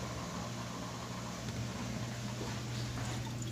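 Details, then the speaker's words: GE apartment-grade dishwasher with drain pump, leaking/overflowing and filling when not in use, pulled out and laid on its back: steady low hum with water rushing, no grinding; drains normally, so pump and drain lines are fine and the fault is the installation. "there you go it's draining just fine so yep that's what happened it's draining normally so we know there's no problem with the pump with the drain lines the problem is with the installation"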